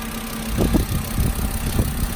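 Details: Car inspected at Copart auction lot, started right up with service light on and AC running cold; drives forward and backward. Steady low idle with even note, a few passing bumps from outside; engine sounds smooth and healthy.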